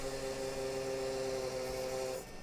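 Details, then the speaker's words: Graphics card fan in a Pentium III ASUS P2B PC: loud, steady multi-tone whine that then drops away; failing fan, no display output. "That sounds terrible. That's the fan. making that noise."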